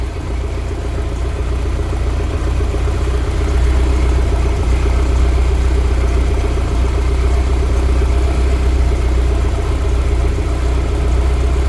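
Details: BMW E30 M3 with S14 engine on individual throttle bodies, idling: loud, lumpy idle with an uneven beat and occasional dropped pulses. A random misfire at idle, cause not pinned down.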